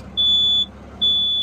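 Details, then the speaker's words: Truck electric horn: two thin high-pitched beeps of about half a second each with no full horn blare; horn is faulty and needs replacing. "వింటున్నారు కదా Aaron sound ఈ sound వస్తుంది ఇదో ఒకటి మార్చాలి"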